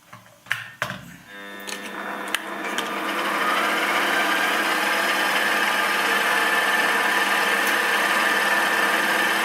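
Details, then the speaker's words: Homemade fly cutter facing scrapyard aluminium, slowed down a lot from before: steady even cutting hiss with a faint regular tick about four per second and no chatter, leaving a nice surface. Light cuts only; normal fly cutter facing cut. "I have slowed it a lot down, and then it is much better. You can see it making a nice surface there."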